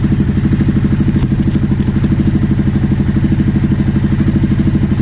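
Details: 2009 Aprilia Shiver SL750 after both air pressure sensors in the airbox were replaced to fix a hunting idle: steady, even twin thump at about three beats a second, no misses or hunting; idle now steady.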